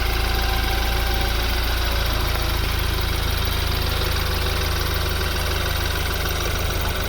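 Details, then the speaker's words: BMW F30 328i with the 4-cylinder turbo, idling: fast, clattery ticking about three a second over a steady idle, a diesel-like sound. Normal direct-injection injector ticking. "if you go outside and you pop the hood, it doesn't really sound that good. All you hear is really injectors."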